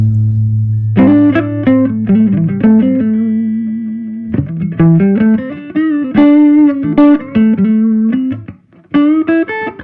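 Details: Gibson GA-40T Les Paul tube amp with two 6V6 power tubes, after repair of dead channel one, tremolo, background noise and motorboating: guitar warm and clean, breaking up nicely when pushed, no hum or motorboating; healthy.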